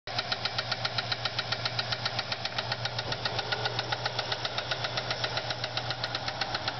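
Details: Ford Fairlane V8 idling with a sharp, steady lifter tick, several per second: no oil to the heads and a spun camshaft bearing caused a flattened cam lobe and a bad lifter.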